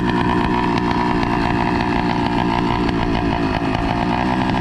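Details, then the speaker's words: Motorized bicycle with two-stroke engine and NT carburetor: loud, buzzy idle that hunts and wavers unevenly. The carb seems not to be getting enough fuel for a steady idle, so it may be running lean. "what's going on is his bike is uh like having this weird idol like i was mentioning earlier because um it seems like his carburetor is not receiving enough fuel just to keep a steady idle"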